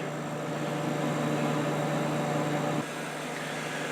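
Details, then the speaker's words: Kenmore dehumidifier, in use since June, reassembled after cleaning and oiling both fan-motor oil ports: even, smooth motor hum with a soft fan whoosh, easing down slightly near the end; fan and compressor sound good; low vibration, running normally. "oiled the motor and it sounds great all right very smoothly not so many vibrations and no rivaling either"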